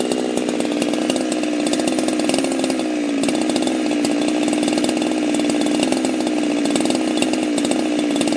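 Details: Husqvarna chainsaw fitted with a pop-up piston; high steady buzzing note held evenly for several seconds without sputter, running smoothly.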